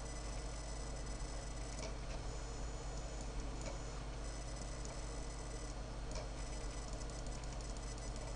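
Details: Dell Precision M65 laptop after technicians replaced the mainboard, earlier noises gone; thin steady high-pitched whine over low fan hum with faint irregular ticks, source not identified — laptop whine and ticking.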